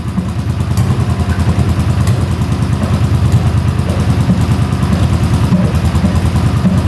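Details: 1981 Honda CX500 café bike that sat in a basement for years, running on the choke at first start with no airbox or pod filters. Loud, lumpy V-twin pulse that never settles, with popping. Suspected worn accelerator pump diaphragm; rough running.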